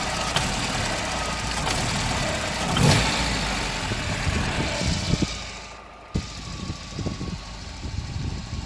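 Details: Volvo 940 B230FK turbo engine at 0.8–1.0 bar: uneven idle with irregular stumbles and loping beats over the engine hum, never settling to a smooth run; rough idle.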